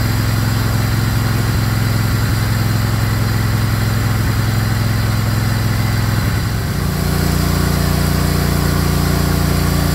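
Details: Craftsman GT riding mower (model 917.258873) with 18.5 hp Kohler CV18S 624cc V-twin, after carburetor replacement (long a hard starter), air filter off, jumper pack on low battery: steady V-twin beat shifting to a slightly different speed partway, smooth, no misses; normal running.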